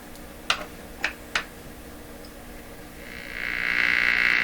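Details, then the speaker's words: Nordmende Traviata 59 tube radio with low output (tubes and voltages OK), warmed up: three sharp clicks then a harsh raspy croak at mid-high pitch, held loud at higher volume; unwanted noise, cause not yet known. "lots more volume it's not quite what we want to hear getting ahead of ourselves on that why why it is this only produces that noise"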